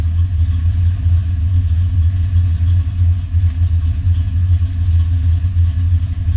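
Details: Foxbody Mustang notchback on Holley Terminator X EFI and custom wiring, after idle screw and fuel table tweaks, warming up: steady deep low rumble with an even pulse, no stumbles or ticks; smooth normal idle.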